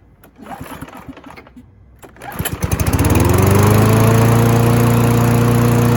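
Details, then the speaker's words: Free Husqvarna mower after both ends of the governor arm spring were adjusted: after a couple of pulls it catches and settles into a steady, even hum at constant speed with no hunting. Normal running speed. "Happy to report I think we finally got the RPM speed taken care of. It took a little bit of back and forth adjusting the spring right here."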